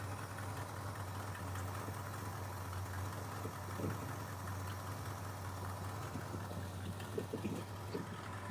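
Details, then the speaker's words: 1979 Ford F150 V8 with newly fitted cheap Chinese carburetor and electric choke hooked up: smooth, even low idle rumble with no misses, knocks or hunting, after brief squeal at startup; runs well with little tweaking. "That sounds good. Running pretty well, actually. For a cheap Chinese carburetor, it didn't take much tweaking."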